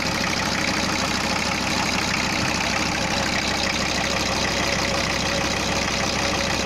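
Steady diesel clatter at idle, even rattle around three per second with no misses or heavy knocks; healthy after the head work.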